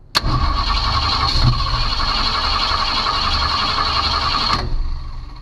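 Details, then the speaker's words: 1965 Ford Mustang no-start, key on, battery voltage dropping from 12 to about 9.5 V while cranking: about 4.5 seconds of steady starter whirring with no firing; crank no start, ignition fault suspected (it wants to fire with the key off). "well it drops down to about nine and a half volts which is not good and of course it didn't want to fire up y'all heard that it didn't really want to try"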